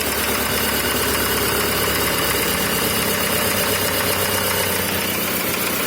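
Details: Cold VW Passat B5 engine: loud, busy cold idle with a rough, uneven knocking running through it, roughly three a second; knock present when cold, cause unknown.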